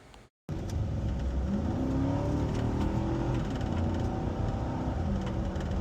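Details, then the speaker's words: 2010 Nissan Armada V8 after installing a used K&N cold air intake: deep note climbs and holds under steady throttle, clean and even with no knocks; normal revving that sounds better and rawer than before the install. "Now that sounds a lot better. You can hear the engine itself in its rawest form. Just by adding a simple cold air intake can make a big difference."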